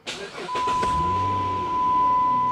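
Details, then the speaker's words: Minivan with its battery being charged: short crank, catches right away and settles into a steady, even idle with a dash chime ringing; a clean, healthy start. "hopefully when we go to fire it up now it starts a little bit easier since the battery's charging let's try it"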